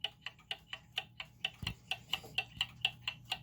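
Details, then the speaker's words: German time/strike pendulum clock after leveling the case and adjusting the pendulum crutch: crisp, even tick-tock at about two beats a second with evenly spaced tick and tock; the clock is running in beat. "okay still sounds a little uneven so now on this one we actually have to pull this out just a little way so it's not hitting in between these little guards right there"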